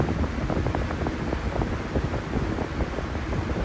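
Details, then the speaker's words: 1997 Lasko 3733 box fan after swapping mismatched blades for period-correct D blades: steady even air rush, no hum, rattle or wobble; the earlier hum came from the wrong blades and is gone; running smooth. "it sounds amazing so the difference really is the blades"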